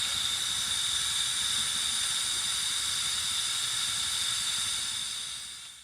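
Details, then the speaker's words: 1991 Pontiac Firebird Trans Am that overheated: a steady high-pitched hiss over a faint low engine rumble, fading at the end, as coolant leaks from the hose at the 15-year-old water pump, which gets replaced. "Oh, it's coming from the hose. It's coming from a hose down there. The hose that connects to the water pump."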